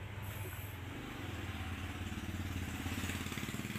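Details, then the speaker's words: Polytron washing machine, motor runs but the pulsator stops when held: low steady motor hum under an uneven rattle with no firm drive, noisy and won't wash; pulsator teeth found broken/stripped. "cuci berputar tapi tidak bisa berputar saat kita pegang pulsatornya Suaranya berisik sekali Apa penyebabnya kalau seperti ini"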